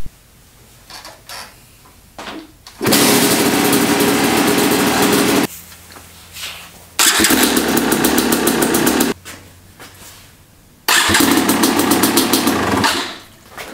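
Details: 2020 Yamaha YZ250X two-stroke after installing a Panthera electric starter: three quick electric starts, each catching at once with a crisp even two-stroke note before shutting off; healthy.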